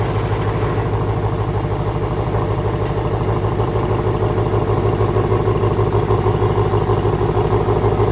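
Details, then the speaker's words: 2017 Ford Mustang GT (S550) after replacing left rear half-shaft thrust washer to fix clunk shifting drive-reverse and under hard driving, tested in reverse on driveway: steady even engine drone, no clunks or thumps; clunk gone. "see right there sometimes when I put it in reverse it would make that clunking noise did not do it this time that absolutely would have made that noise right there"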